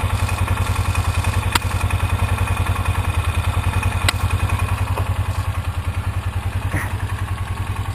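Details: 2003 Polaris Ranger 4x4 500 after replacing leaking cam chain tensioner seal and gasket with RTV: even, steady thump about three and a half beats a second, no knocks or misses; idled about 10 minutes, no oil leak.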